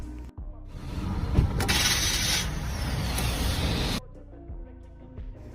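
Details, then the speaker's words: 2013–2016 Honda Accord or Crosstour 3.5 V6, harsh grinding burst of about three seconds at startup; starter-to-flex-plate clearance issue, fixed under a Honda service bulletin by clocking the starter and adding a gasket. "so what you guys are actually hearing is the starter so it may just spin or cause a grinding noise at startup and that's due to the clearance of the start with the flex plate"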